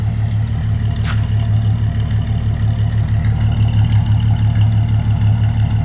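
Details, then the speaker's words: CM Valiant with rebuilt carburettor, idling after a new exhaust was fitted: steady, even idle with a deep, smooth exhaust thrum and no rasping or blowing leaks. Only a rattle from up front remains; exhaust is healthy. "now if he doesn't sound like a tractor all that noise is coming out the back all you can hear is that hammy rattling up front now lovely"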